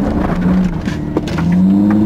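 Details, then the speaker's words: Chrysler Crossfire SRT-6 on gravel, accelerating slowly from rest to about 8–9 mph: low whine climbs in pitch as the supercharger kicks in and stays on while rolling; normal supercharger engagement being tested. "I'm on gravel I'm going to accelerate real slow and it's on I got up to about an eight or nine miles an hour stopped and it went off again I'm gonna go again sure comes in it stays on as long as I'm rolling"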